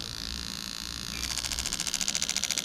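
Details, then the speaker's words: Lexus LS400 1992–94 engine harness bench test, injectors triggered one by one (number eight, six, four...); crisp, evenly spaced ticking at about ten a second with no misses: injector firing normally. "going to go through and we're going to do all the injectors so you should be able to hear it over the spark plugs go in but we'll just go from there"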